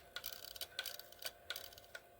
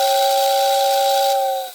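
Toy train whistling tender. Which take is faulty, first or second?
first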